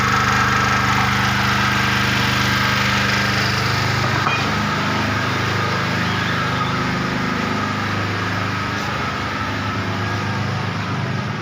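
Even, steady engine drone with a constant pitch and no knocks, misses or surging; the generator is running smoothly.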